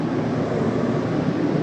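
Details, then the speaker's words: 2020 Coachmen Spirit 2454BH ultralight travel trailer, furnace turned on at the thermostat set to 79: a steady, smooth whooshing blower hum with no rattles or pitch changes. The furnace runs normally. "now I'm going to go in and turn on our Heat that's 79 here so that should crank up your furnace do that running there that goes"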